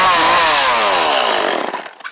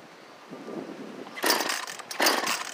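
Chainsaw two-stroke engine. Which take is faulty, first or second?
second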